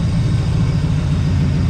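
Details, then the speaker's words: 1982 Chevrolet Camaro V8, warmed up on years-old gas, homemade side pipes, no fan fitted yet: deep even burble at steady idle, no misses, ticks or knocks, calm. Normal idle. "now those homemade side pipes aren't sounding too bad are they"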